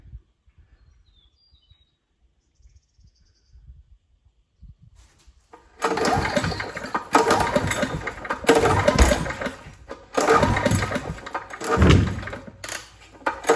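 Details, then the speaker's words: Old 5500 W gas generator, full of oil, started after repair: quiet at first, then catches and settles into a strong running beat with slight load swells; runs pretty good. "well sounds like it run pretty good all right well I'll put some uh gas in this one"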